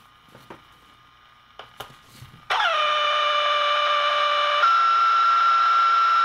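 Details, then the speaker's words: Keurig coffee maker plugged straight into the wall, radio nearby: quiet receiver jumps to a loud steady buzzing whine the instant it is plugged in; switching power supply spewing harmonic RF interference across HF and AM bands. "that's loud so that's what i mean by our fire hose and it's everywhere all over the hf bands and everywhere so there's a lot of harmonic content coming out of this thing"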